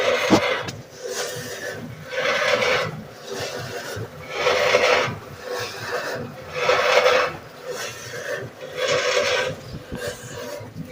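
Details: GE washer: a gritty rasping grind swells and fades about every two seconds with each drum stroke. Grinding somewhere in the drive.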